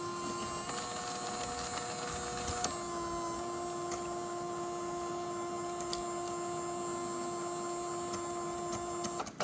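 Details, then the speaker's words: Creality 3D printer CFS filament feeder after a factory reset; the motor whirs steadily and shifts pitch once but does not grip or pull in the filament, which seems held or obstructed. "I hear the noise, but it's not grabbing the stuff. Something is holding the cable in it."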